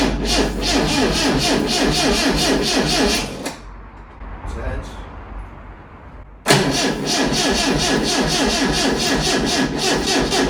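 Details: Lotus Elite, first start attempt after ten years laid up in a barn: even cranking at about four beats a second, a pause, then more cranking with no catch; easy-start spray is tried next.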